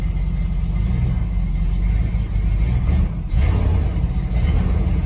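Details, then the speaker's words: Truck that sat about four years, choke not hooked up, carburetor suspected: a deep, rough V8 rumble rising and falling with the throttle, lumpy and needing nursing while cold, but running steadily. "so it needs to be nursed along but listen to it friends"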